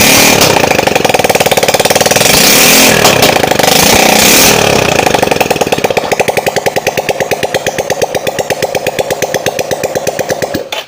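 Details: Carbureted Yamaha Mio Soul after repair of white smoke caused by worn piston rings. Loud, crisp open-pipe firing as the throttle is blipped, then the beats slow evenly and it shuts off; it runs normally with no smoke, and the blue seen is flame.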